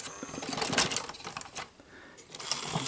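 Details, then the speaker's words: Sony SL-S600 Super Beta VCR before repair: the motor whirs and clicks as the tape threads, then stops short of completing the loading cycle and ejects because no power is detected going to the head drum motor. "so it goes it threads up the ear it doesn't quite complete it but it's just about complete it and what happens well it ejects because it doesn't detect any kind of throat power going to the Headroom motor"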